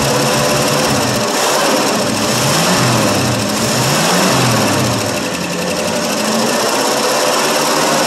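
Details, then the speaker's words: 1965 Ford Fairlane 500, 289 V8 with a three-speed column-shift manual and overdrive, cold start after sitting for years, fed from a bottle with no gas tank; loud, busy rumble holding steady, no knocks or misses: normal running. "love it it runs like a champ"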